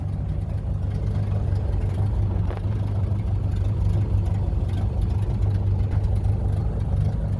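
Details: 1930 Ford Model A four-cylinder barn find, driving under its own power after 40+ years, following a head gasket replacement, a new wiring harness and an oil pan cleaned of sludge: a steady, even drone under way with no knocks or stumbles; running well.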